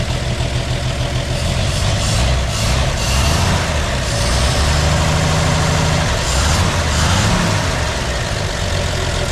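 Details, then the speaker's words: 1958 GMC pickup parked for years, first start with broken choke: steady, even low rumble at idle with no knocks or misses; old engine runs smoothly and sounds healthy, normal idle. "sounds like a machine"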